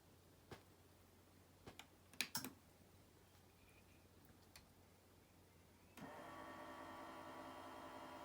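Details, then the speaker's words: 2001 Sony CMT-CP300 three-CD changer with stretched loading belt; a few clicks then the loading motor whirs steadily while trying to eject, drawer never opens. "I don't know if you can hear that noise it's now trying to eject but is unable to yeah totally dead"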